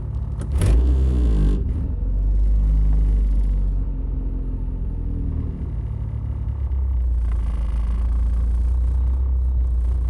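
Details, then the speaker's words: Honda Civic hatchback petrol engine idle surge, revs hunting between about 1,500 and 1,900 rpm with a low rumble that swells and sags, present for years while driving, some days absent. "So it's between probably 1,500 to 1,900 or 18. And as you guys might be able to hear, it will get annoying."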